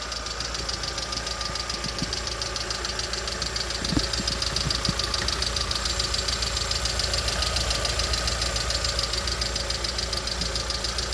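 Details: Lada Vesta SW Cross, 1.6-litre 106 hp engine: sharp tapping about two per second over a steady idle, even throughout; engine knock of unknown origin.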